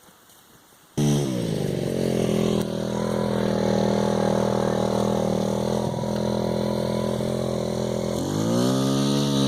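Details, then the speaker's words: $20 50cc scooter after upgraded variator rollers (lower effective gearing for off-road) and new clutch springs, full throttle: climbs to high buzzing scream, holds, dips and rises again; normal strong high revving. "Time for the 7-toe Joe Grand Prix with upgraded variator rollers, and hear that thing scream."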